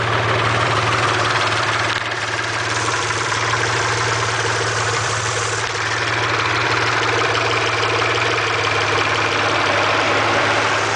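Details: Steady idle with a light, fast tick over the engine note, about three a second. Owner suspects lifter tick; not confirmed.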